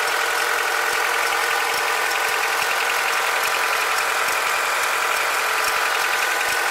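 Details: Honda K20Z2 engine at idle: a fast, light ticking, roughly two to three per second, over the hum; an extra engine noise, source unclear.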